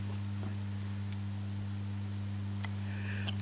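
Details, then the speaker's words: Wall-transformer power supply with 2N3055 capacitance-multiplier hum suppressor (3300 µF base capacitor), switching low to high load (12 V automotive lamp): steady low buzzing hum, only a tiny change in hum with load; residual ripple hum. "And as far as I can see, it is a very tiny drop of hum."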